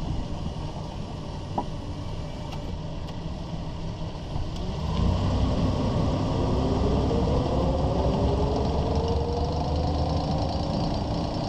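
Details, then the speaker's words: 2001 Ford Ranger driving at walking speed: an irregular, loud clicking rattle from under the truck over road rumble, which has lasted over a month, with vibration on the driver's side at 50–60 mph; caused by a worn front driveshaft CV joint. "I've had this annoying loud clicking rattling sound coming from the bottom of the truck my speeds are about walking speeds and you will tend to hear it very loud"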